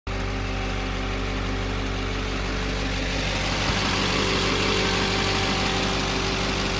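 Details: 2009 3500HD Duramax diesel at idle: a steady, constant-pitch whine sits over the diesel idle clatter, source unknown; engine whine at idle.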